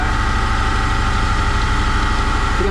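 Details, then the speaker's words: Land Rover Series One 1600cc engine valve being refaced on a grinder after shot blasting and stem polishing: the distorted valve grinds on one side only, a rapid regular rubbing pulse once per turn, until it grinds all the way round. "see the dark part every now and again where the uh the valve is distorted and if I try and film this you'll hear it um grinding on one side"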